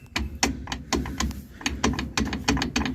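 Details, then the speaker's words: 2006 Nissan pickup with a loud rear noise while driving: driveshaft rocked by hand gives sharp, uneven metallic clicks from the universal joint at the differential yoke, which is worn out; the three U-joints are to be replaced. "Como pueden ver ya no está cruceta del lado del del diferencial del yugo"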